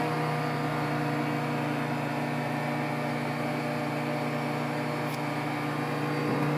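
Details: Samsung 1.9 cubic foot microwave on start-up: steady low hum with buzzy overtones holding even throughout; strange vibration noise, cause not clear.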